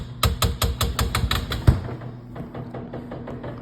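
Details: Two-year-old LG refrigerator bangs loudly every few hours: a rapid hollow series of about five knocks a second fading to softer taps, an expensive failure.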